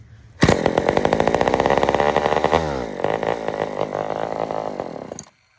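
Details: Old Sears Explorer II chainsaw after carburetor cleaning; it previously fired and died: it starts at once and holds a steady buzzing two-stroke note, dips briefly, then runs cleanly until shut off, normal running.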